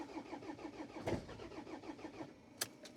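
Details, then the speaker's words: Pizza van diesel in hard frost, cold start with thick oil after glow plug cycle; earlier diagnostics showed a glow plug error: slow even cranking, brief catch then nothing; cold no-start, glow plugs suspected failed. "Kui nüüd ei lähe, siis rohkem ei piina. Korralik cold start"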